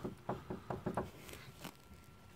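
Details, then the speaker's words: Porsche 986 Boxster with front suspension knocking, on stands: a few light, dull clunks as the track control arm (tuning fork) is rocked by hand. Worn ball joint play; the arm is to be replaced. "okay so can you hear that that ball joint has got a tiny mouth"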